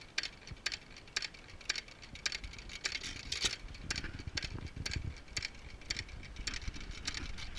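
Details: Antique hit-and-miss engine (of a Majestic and Waterloo pair) run on an igniter, low-tension coil and 12V battery: sharp irregular pops about every half second with soft panting between them from the held-open exhaust valve; running normally.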